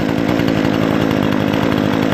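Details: Brand-new Remington Outlaw RM4620 20-inch gas chainsaw (recall replacement), first start after priming ten times and full choke: steady, even two-stroke buzz at constant pitch with no stumbles or misses; running smoothly and healthy.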